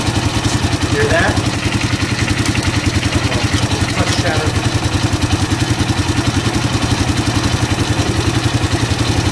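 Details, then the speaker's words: 2005 Honda CRF230F single-cylinder at idle after carburetor cleaning, heard while pulling the clutch; thumping about three to four times a second with loose clattering chatter on each beat; clutch chatter suspected, not confirmed. "You can listen to the clutch. I have a suspicion it's got some chatter. Take a listen in here when I pull the clutch."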